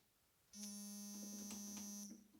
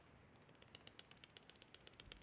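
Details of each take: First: 1993 Kawai keyboard after reseating the key spring: two clean sustained synth notes with soft, even key releases and no clunking underneath; normal key action after repair. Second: 1993 Kawai keyboard key worked up and down: quick light clicks, about eight a second, each with a hollow rattle; a weight in the key has come loose.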